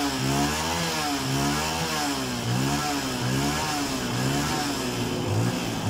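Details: Yamaha Vega Force fuel-injected single, which died because its fuel pump would not pressurize, after pump fix: fires up and blips cleanly, pitch rising and falling smoothly with throttle, no misses or knocks; sounds healthy.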